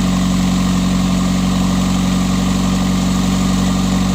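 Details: 1999 Honda Accord running again after sitting 3 months with the subframe just reinstalled, on the old uncharged Walmart battery. Steady, even idle with a smooth low rumble and no knocks or misses; the engine runs cleanly.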